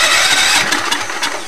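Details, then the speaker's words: Racing Allis-Chalmers tractor after an engine swap: a sat, stuck engine freed by hand, with the throttle doubling as choke. Fast hissy cranking with weak firing puffs that never catch. Cranks but won't start; the carburetor is suspected. "let's see if it starts all right and it does seem to be that the throttle is also the choke promising very promising it's trying it's trying really hard"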